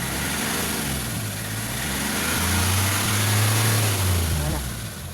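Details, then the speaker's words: Engine that had been starting and then suddenly dying, with the check engine light a concern: it now holds a steady low idle that swells slightly without stumbling or dying; normal idle. "Hindi na namamatay."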